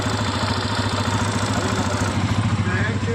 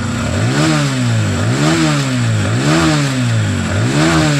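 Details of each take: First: TVS Apache RTR 160 FI BS6, about 5000 km, idling: light quick ticking from top of engine, loose valve tappet clearance; tank to be removed to adjust. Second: TVS Apache RTR 160 FI BS6, about 5,000 km, after tightening to cure the customer's tik-tik tappet noise: four quick throttle blips then steady single-cylinder idle with no ticking; tappet noise gone.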